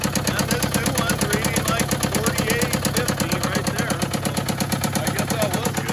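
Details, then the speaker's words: Case 188D tractor diesel at idle with the muffler refitted. It smokes heavily, the valve lash is checked, there are no bent pushrods, and a new No. 1 injector made no difference. Sharp, evenly spaced, rapid knocking seems to come from high in the engine. "i think it's kind of making a bit of a knocking noise and seems to be from higher up in the motor so i don't know we're going to just kind of experiment with it dig into it slowly and see what we can find"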